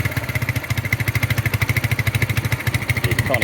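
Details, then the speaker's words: Carburettor on a 250cc cruiser motorcycle after a cheap rebuild: lumpy, uneven idle pulsing about three times a second with a wavering beat, black smoke, idle slow to return and hesitation off idle; over-fuelling, running rich. "see the smoke coming out now. definitely over fueling. So, it'll need um it'll need work."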